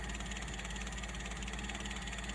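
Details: Mitsubishi L300 petrol van with points ignition, previously hard to start and stalling at low throttle, after repair: smooth, even low idle with a steady beat and no misses, surges or knocks; normal idle.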